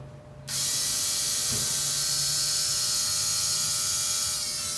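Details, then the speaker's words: 1978 El Camino LS swap fuel system, electric fuel pump after pushing the feed line to the tank bottom; sudden high, steady, even buzz without sputter, pump now pulling fuel instead of running dry. "there we go that's what i was waiting for [Music] i mean that means it's pulled fuel before it was running dry"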